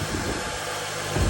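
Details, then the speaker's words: Honda Element after a swapped K24A engine with new spark plugs and rear main seal, replacing one ruined by Blue Devil head gasket sealer: soft, even hum at steady idle, no misses, taps or knocks; normal idle. "All right, let's fire it up. Let's fire it up. It is like butter."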